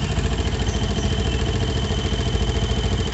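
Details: Yamaha Jupiter MX New motorcycle idling hot with a steady high whistle and faint clatter, and the radiator fan not spinning; the problem is traced to the radiator or engine cooling system, water pump area suspected.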